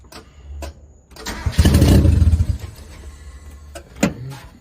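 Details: 1990 Mazda Miata after sitting 7 years, idle screw being adjusted for a possible air leak; short, uneven crank that catches into a rough burst of revs then settles; starter sounds tired, weak cranking suspected, not confirmed.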